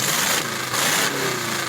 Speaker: it has the worst exhaust leak like of all time